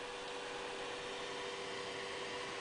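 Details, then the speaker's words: Original Commodore 16, faulty for about 30 years and repaired with a Commodore 64 CPU, kernel upgrade and new TED chip, plus an added cooling fan and heat sinks: soft steady airy fan hiss with faint hum; normal fan running. "I've installed a cooling fan, which you can probably hear, and I've put some heat sinks in it."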